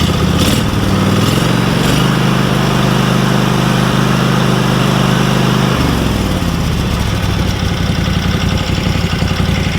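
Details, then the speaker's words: Small air-cooled engine after fuel system and carburetor servicing (it ran fine beforehand): steady, even putter that settles to a lower speed near the end, no misses or knocks; runs as well as before. "yeah it runs just as good as it ever"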